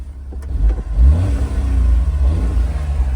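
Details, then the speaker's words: Honda Beat, a small petrol kei convertible, revs up cleanly and falls back smoothly, with the pitch rising and dropping evenly with throttle; it is called one of the best-sounding cars and drives great. A healthy, free-revving engine. "drives great. One of the best sounding cars, man."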